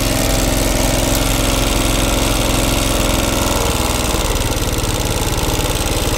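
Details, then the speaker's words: Honda Grand motorcycle before repair, losing power and refusing to rev at full throttle, topping out around 30–40 km/h with noisy running. An uneven, loping, rough and breathless beat about three per second from a worn camshaft lobe and rockers. "di bagian mesin suara kasar nafasnya pendek jadi tenaganya nafasnya pendek ya tenaganya hilang ya"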